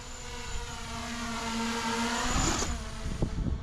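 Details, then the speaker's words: Diatone Roma F7 6S quadcopter in flight, bidirectional DShot switched off: a high motor whine that wavers and breaks into rough pulses on throttle changes. Uneven motor sound, apparently needing tuning. "i did definitely hear me some weird sounds from the motors yeah boop whoop you will probably not be able to hear that but it's it looks like it needs a bit of tuning which is fine"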